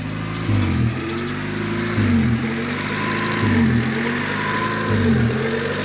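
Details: 1994 Honda Civic DX, first start after fuel pump replacement; engine revs in repeated blips over a rough idle with a raspy, puffing edge on each rev, pointing to an exhaust leak.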